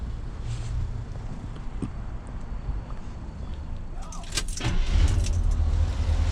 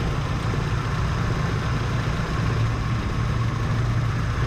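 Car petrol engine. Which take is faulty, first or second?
second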